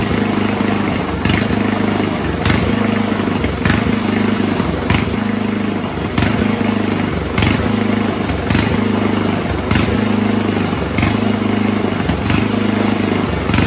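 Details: 1970s Roper 1032 snowblower, probably 10 hp Tecumseh-style single-cylinder, idling with slow regular surge about once a second. Lean idle mixture; fixed-jet bowl fitted, then richening the idle circuit eliminated the hunting.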